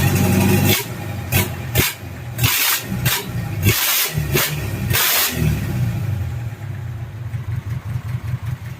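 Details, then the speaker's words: Rebuilt Mitsubishi 4D30 diesel (timing gear, injection pump and cylinder head fitted) running without coolant. Several rough cranking bursts, then it catches and settles into a steady, even knocking idle with no misfire: a normal start and idle. "berjalan. Ini masih beroperasi tanpa air. Dengarkan respons akseleratornya. Oke, bagus , pedal gasnya."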